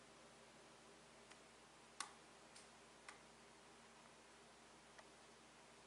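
Faint, irregular single clicks, about one a second over quiet hiss, a relay chattering while the unit fails to charge.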